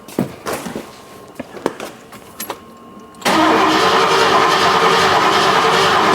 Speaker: all right so no injector pulse because the Noid light is not flickering